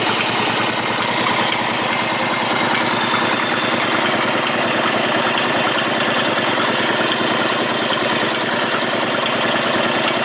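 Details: Honda Shadow 125 motorcycle: busy, uneven tapping over a fairly steady idle at about two beats a second; abnormal engine noise, source not identified.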